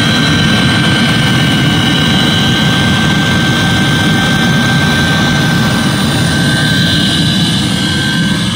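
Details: Eberspächer D5WZ diesel parking heater from a 1.9 TDI Ford Galaxy/VW Sharan/Seat Alhambra, after repairing at least three faults; constant even burner and blower roar, fuel pump audible, no surging or popping, no visible smoke; normal running.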